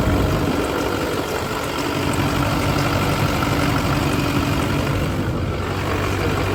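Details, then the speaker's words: LB7 Duramax diesel with S300 turbo just after fitting new SNS 100% over injectors, replacing failed, rattling ones: steady, even idle with a smooth low rumble and no injector rattle or knock; sounds much better, healthy. "on yeah it sounds so much better now"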